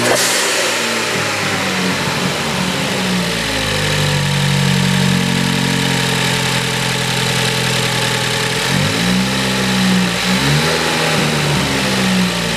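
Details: 2018 Ford Focus ST just fitted with a CP-E cold air intake, MAP sensor reinstalled; catches, settles, then pulls up smoothly on each rev and drops back with a clear intake rush; healthy start and rev.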